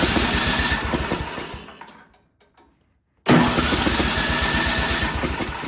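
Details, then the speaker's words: Ariens snowblower sat years in barn, spark and valves OK, starting fluid given: rapid chuffing bursts die out, pause, brief roar again; fires only on starting fluid, carburetor fuel delivery fault. "So just give it a little shot of starting fluid. And I suspect when I try to start here, it'll pop off. Yep."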